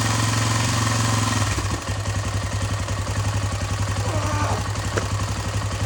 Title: KTM exc 525 first start after engine repair